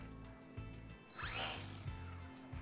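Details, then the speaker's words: HobbyZone Sport Cub S 2 RC plane: short low buzzy whirs from the servos each time the control surfaces move, with quiet hum between, which is the normal sound of the SAFE and AS3X stabilization systems working. "you can hear buzzing coming from the servos that is the safe and as3x system working in the airplane"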